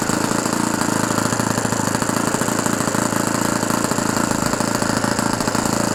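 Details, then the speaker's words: OS FS-120 Surpass 20 cc four-stroke methanol model engine, fully restored with new ring, running in on a 15x8 propeller; fast, crisp, even buzzing with no sag or popping, mixture still slightly rich; normal running. "Avec une hélice 15-8, c'est parfait. Super. Il commence à avoir de la patate."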